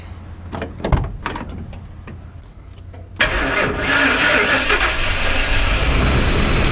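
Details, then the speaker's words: 2003 Ford E350 V8 after fuel pump replacement; about three seconds of steady cranking, then it catches cleanly and settles into an even, strong idle. "Hola! Woo! It worked!"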